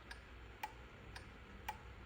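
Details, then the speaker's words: Four-pin automotive relay pulsed by a relay tester on a bench battery: crisp, evenly spaced clicks about twice a second as the contacts pull in and drop out; contacts switching cleanly, a good relay. "all right that's a good relay you can hear the contacts energizing and be energizing opening and closing"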